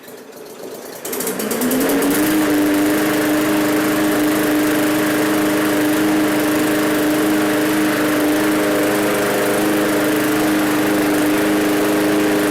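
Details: Free roadside MTD push mower, after refitting the air box: catches after a brief crank and settles into a steady, even buzz at constant speed with no stumbling; normal running.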